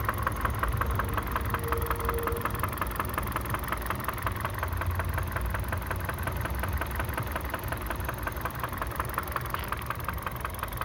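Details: Kia Ceed 1.6 petrol at 62,000 km: a steady, fast ticking knock of about three per second over an even idle. Engine knock, cause unknown.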